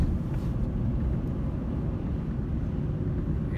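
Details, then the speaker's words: 2008 Ford Ranger XLT, 2WD, 5-speed manual, 147K miles, cruising around 40 mph in fourth gear; steady low road and engine rumble, no whine, clunk or knock, drivetrain quiet and healthy. "gets aired in around 40 miles an hour you can hear everything is very quiet no noises or sounds coming from the truck"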